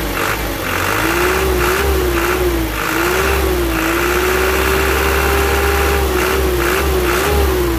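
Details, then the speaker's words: Isuzu Elf Blue Sky truck diesel, tuned by the previous owner, revving: a raspy, husky note with a wavering whistle on top, attributed to the fan belt. Turbo setup is undecided; exact fault unclear. "seperti ini untuk suaranya Cemara qqqq itu dari suara streng ya dari suara seraknya vanbell"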